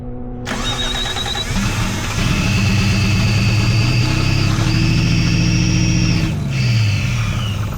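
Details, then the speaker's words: 1JZ-swapped Toyota Cressida that sat three years, started on sprayed carb cleaner: it cranks, catches and revs, then dies after a few seconds, with fuel pressure not coming up at all. Runs only on the starting spray; no fuel pressure. "All right, fuel pressure didn't come up at all. So, it definitely still runs. It just doesn't have any fuel pressure."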